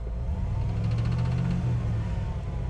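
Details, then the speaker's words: 1970 Jeep Gladiator J4000 pickup engine, noise appeared suddenly: rough, loud low-end rumble under throttle with faint rapid ticking on top; owner suspects a lifter or, more likely, a rod knock. "If you don't know that noise that you can hear, you hear that? Yeah. If your engine does that, bad."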